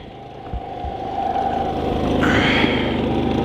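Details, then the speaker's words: Harbor Freight Predator 3500 inverter generator powering a whole house through the main panel at about 123 V, 7.3 A, 885–900 W of its 3000 running watts: a steady, even hum with no hunting or misfire. It's doing fine. "This generator can handle 3,000 running watts. So right now we are doing A-okay."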